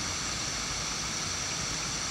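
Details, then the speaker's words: Playback of an old cassette in a retro portable unit, ad audio on the tape: constant loud high hiss like rushing water drowns the recording, so the water sound can't be identified; excessive hiss coming from the player's own circuitry. "it's pretty bad when you can't really identify the water sound because of the waterfall hiss coming out of the circuitry and this is really bad"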